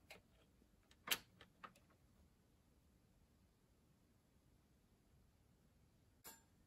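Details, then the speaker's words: Marantz 2225 receiver bought with intermittent sound cutoff after a couple of minutes, at power-on: single sharp relay click about a second after switch-on over a quiet background, then another later; power amplifier suspected; fault not audible. "hear the click, but the right channel, let's see, let me turn on volume."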